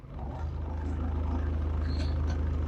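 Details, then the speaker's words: 1968 Mercedes-Benz swapped with OM616 diesel, new homemade exhaust with Saab muffler, before test drive: smooth even low clatter at idle with no puffing or ticking; exhaust not hitting the floor, no leaks, healthy. "oh yeah I don't hear hitting the floor so that's a good start doesn't appear to be leaking"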